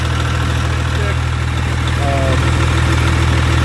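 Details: 2001 International 8100 dump truck, ISM11 Cummins diesel, 513,000 miles: deep, even idle thrumming about 200 beats a minute with no knocks or misses; healthy idle.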